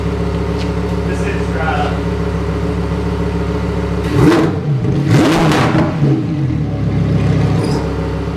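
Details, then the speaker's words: Lamborghini Huracan EVO, stock exhaust, revved to wide-open throttle: steady deep burble, two sharp revs, then tone drops and quiets as the exhaust valves close; slight squeak of valves moving even in Strada mode; normal exhaust valve operation. "you can hear that little squeak like the valves move even when it is in strata but it's only when you're wide open that the valves will open"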